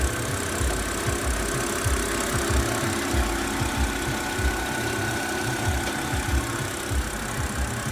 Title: What is that low growling/whirring noise on my 2008 BMW 328i?